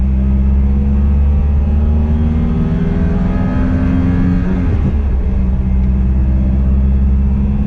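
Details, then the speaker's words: 1988 Pontiac Fiero 2.5 recorded in the cabin on the road, with a loud deep drone suddenly louder than the day before and whiny at high revs; the owner suspects an exhaust leak, which was later repaired. "it's definitely it's a lot louder and at high revs it's really whiny so that's what leads me to believe I might have an exhaust leak"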